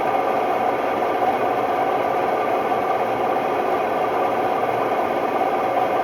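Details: Hotpoint Ultima WMD960 washing machine, recently acquired, test spin: loud steady roar with a constant rattling hiss throughout; worn drum bearings.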